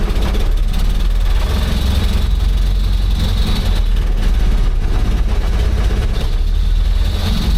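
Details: Old "800" truck, just revived after distributor retiming, in gear and rolling with oil pressure showing: deep, steady engine rumble with a smooth even beat and no knocks or misfires. Normal running.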